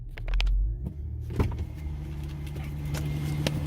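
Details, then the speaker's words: 2003–2008 Infiniti FX35 3.5L V6, cold start after belt fix: a few clicks, then it catches and settles into a steady low idle with no startup belt squeal. "And there you have it. There's no more squeal. I can come back out here another hour and a half to 2 hours just to make sure again."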